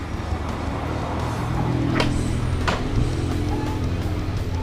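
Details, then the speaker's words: Easyride 150N GY6 scooter with D-type carb after removing the auto enricher (auto choke) to cure hard starting and high fuel use: starts on one kick and settles into a low, steady, quiet idle without stumbling. No more fuel smell, normal idle. "oh umandar agad one kick lang one kick lang umandar na siya tapos ang lamig ng andar ni hindi masyadong maingay"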